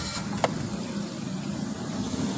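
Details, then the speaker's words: 2024 Suzuki Swift after fixing a crank-no-start caused by its tracker/immobilizer relay cut-out and refitting the wiring: engine catches and settles into a steady, even low hum with no knocks or misses; normal idle. "जी गाड़ी हमारी start हो गई है"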